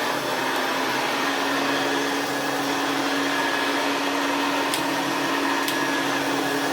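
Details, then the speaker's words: Vintage Hoover Senior 652A vacuum after overhaul, with hair clips and dust cleared from the fan and the seized fan bearing greased: smooth, steady high-pitched motor roar with even airflow and no grinding or rattle; healthy. "Doesn't sound so bad now. It's not got that big mass of hair clips and dust clogging up the fan."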